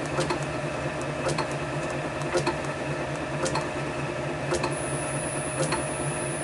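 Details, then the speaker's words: Motor on VFD with carrier frequency (F07) raised: steady hum with light ticks about once a second, no high whine; carrier-frequency change fixed the whine. "um that's fixed that problem I'm very impressed about that"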